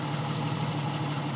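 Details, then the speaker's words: 1991 Jeep Cherokee Laredo after a spark plug change fixed a one-cylinder misfire caused by one worn plug; low, steady, even drone with no skips. Normal idle. "well as you can hear the Jeep is running great now"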